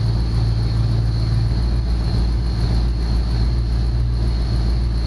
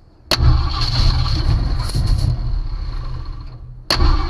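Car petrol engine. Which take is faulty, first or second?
second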